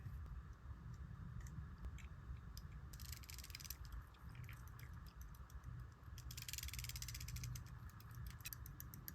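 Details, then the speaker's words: Early-1800s verge fusee quarter-repeater pocket watch after fitting a replacement hairspring. Very light, rapid ticking, far faster than normal. The balance is racing because the weaker spring is much too short, and a longer spring is needed. "That sounds like it's running at hyperspeed. So despite it being a weaker spring, the length was actually that much shorter, causing it to run like this."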